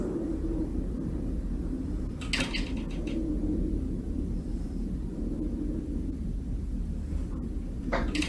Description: The Australia 108 Apartment in Melbourne making loud creaking noises due to incorrect construction techniques.